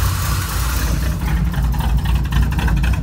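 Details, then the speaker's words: Square-body Chevy truck, small-block Chevy 350 V8, after new valve covers and carb adjustments; uneven lumpy idle with irregular low pulses, still not running right; timing later rechecked; rough running from incorrect ignition timing. "Like I said, still not running right. We got to mess around with it more."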